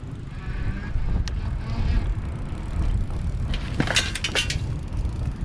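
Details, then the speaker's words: E-Lux Malibu Sport cruiser e-bike with geared Dapu hub motor, ridden off a curb: light metallic pinging and clinks over wind rumble as the chain bounces against its full steel chain cover. "and you could hear there's a little bit of a pinging noise that's just because the chain is bouncing into that steel chain cover which is really nice gonna keep your pants clean and stuff but a little bit of noise there"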